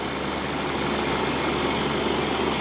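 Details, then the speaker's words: Outdoor AC compressor after liquid-line leak fix and replacing a capacitor that read low (35 checks good); previously started then bogged down and cut out: steady, even hum with constant fan rush, no bogging or surging, running normally. "I think that would have struggled before we changed that cap and the issue before was it wouldn't it wasn't that it wouldn't start it would start and run and then it would bog down and go off in the fxing"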